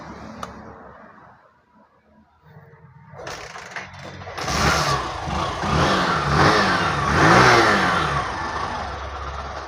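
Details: Hero BS6 motorcycle with a not-starting problem, fuel pump suspected, checked with an OBD tool. Quiet at first, then the single fires, catches and revs up and down cleanly without sputtering: the engine is running normally.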